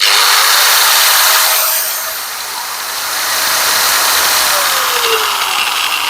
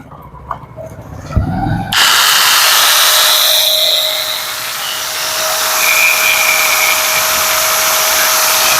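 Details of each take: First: Angle grinder running unloaded: high, harsh whirring with a wavering, rough edge and vibration; the customer reports the cut wanders 5–10 mm when cutting ply or rods, traced to a worn front gearhead bearing. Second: Angle grinder after bearing and gearbox replacement and tightening of its four screws; before repair it was noisy and wandered 5–10 mm when cutting: now spins up into a steady high whine with no rattle, a little quieter, running normally.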